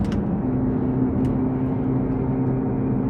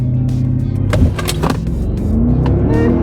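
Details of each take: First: Mercedes AMG 6.2-liter naturally aspirated V8 on the dyno under load at constant speed; steady howling, humming drone from the front end that stops when steering left; front left wheel bearing found bad; wheel bearing howl. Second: Stock 2007 Mercedes R63 AMG, naturally aspirated 6.2L M156 V8, new wheel bearings, baseline 0-60 launch (about 4.9 s): strong deep V8 pull climbing smoothly, no hum, growl or grinding from the wheels; normal acceleration.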